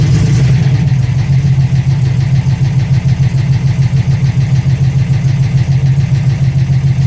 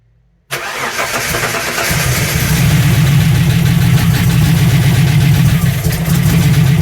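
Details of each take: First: TVR on MS2 engine management after converting from TFI to VAG/VW coil packs: strong, even low drone holding steady with no misfire or stumble; all cylinders firing and running clean. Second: TVR running MS2 Megasquirt with VAG coil conversion: engine catches into a lumpy, uneven idle with irregular stumble; coil C not firing in spark test (A and B ticking), still dead after swapping coils; a loose solder on the coil connector found.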